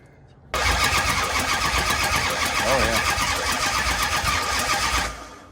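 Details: Dodge Charger rescued from the San Francisco hills, fuel filter now full but fuel line leaking: steady starter churn at about four beats a second for several seconds, never catches; crank, no start.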